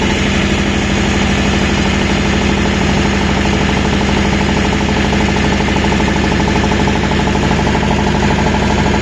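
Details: Refrigeration-unit small diesel running steadily with a repeating knock riding over the idle; cause undetermined.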